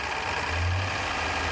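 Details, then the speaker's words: Lexus V8 after briefly running with only two quarts of oil, with revs held up: smooth, even hum with no ticking or knocking. Sounds normal at raised rpm; owner suspects valve lash went out of adjustment from the low oil. "when the RPMs come up it sounds good"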